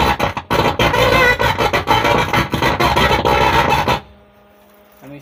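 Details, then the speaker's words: Stranger PBT 800 amplifier: music sounds harsh, gritty and crushed even with audio fed directly in and at lower volume. A faulty driver board is suspected. Distorted amplifier output. "কেন আমি direct যখন audio চালাচ্ছি তাতেও একই রকম জড়তা আওয়াজ হচ্ছে।"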